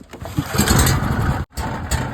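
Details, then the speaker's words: Small dual fuel generator engine, no-start traced to fuel (plenty of spark), fuel drained, carburetor disassembled and cleaned, jets cleared: catches on the pull and settles into a steady, even run with a brief dip; normal running after repair. "now the machine's up and running and that's how you fix it guys"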